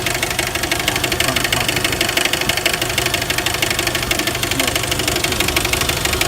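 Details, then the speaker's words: 1999 Jeep Wrangler TJ, high mileage, after adding Lucas oil treatment: steady knock about three per second over idle, located at front of engine; owner unsure of source. "but the knock I'm hearing is way in the front end here so I don't it's the front Baron or what it is"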